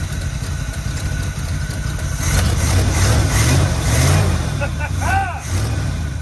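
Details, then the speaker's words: Factory 402 big-block 1972 Chevy C20 3/4-ton automatic, first start with the fuel line disconnected, running only on fuel poured into the carburettor: low, even V8 burble at steady idle with a brief throttle rise, a little exhaust smoke, normal idle. "That sounds good. Okay, a little smoke coming out the butt. That's pretty good, gents."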